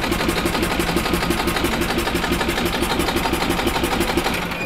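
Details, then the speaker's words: 1996 Yamaha G14 gas golf cart that won't start after sitting over winter, tested after a fuel line was trimmed. Steady cranking of about three pulses a second never fires; the fuel pump is not pulling any fuel. "okay so the fuel pump is not pulling any fuel"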